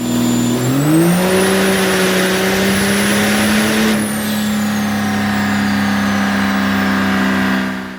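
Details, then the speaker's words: Built truck on a dyno starting at 25 lb boost: engine rips through the rpm, then holds a strong drone with clear turbo whistle while the tires spin, so no number was recorded; healthy full-load pull. "So come to find out, we actually were just smoking the tires on the dyno. We ended up not getting a number because we were spinning so bad. And she just sounded nasty. Like absolutely ready to party."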